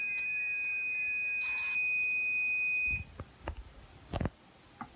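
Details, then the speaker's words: Mach 3 arcade game with Dexter laserdisc replacement board in attract mode: steady high whistle with warbling chirps through the speaker. The target data signal meant for the target decoder is audible, so the audio cables are reversed. "there's an easy way you can tell if you have your audio cables reversed when it gets uh a little way into the attract mode you're going to start hearing the the target signal that's supposed to go to the Target decoder"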